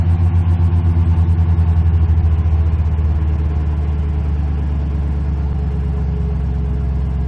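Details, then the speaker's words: 2006 Mustang GT 4.6L 3V V8 with Flowmaster exhaust, after replacing all 8 coil packs: deep, even burble, smooth through a light rev and settling back; healthy normal running. "Sounds good. Listen to this exhaust purr. Those Flowmasters sound good."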